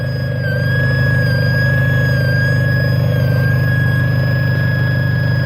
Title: Clio 1.616v 2005 barulho na parte superior do motor